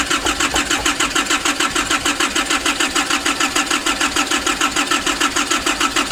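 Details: 2005 Nissan Urvan diesel, cold, after pump work and replacing the pressure bolt and pipes: steady starter churning at about three strokes per second without catching, from fuel starvation.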